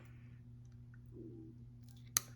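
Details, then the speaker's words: Modified MTH ITAD time-delay relay on model-train trigger track, voltage climbing from about 13 to 18 V: one crisp relay click over a faint steady hum, then back to starter voltage. Normal relay click. "take the ground off the relay just clicked now you're back down to your starter voltage so so that's how this works you can hear it clicking"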